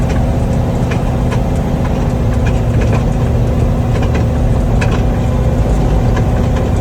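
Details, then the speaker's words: Fox Body with turbo LS: rear clunks knocking about every second over engine and road drone. The owner suspects the worn UPR lower control arms, which have a lot of flop. Tightening everything didn't stop it, so Team Z lower arms were bought. "there's a lot of a lot of flop in them and i'm hoping that's the noise it's pretty bad i can drop a clip of that sound like right here"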